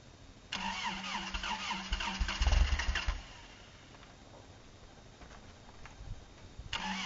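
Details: Truck on a very cold morning at 6 below zero: labored cranking for a few seconds, catches roughly then drops away; hard cold start.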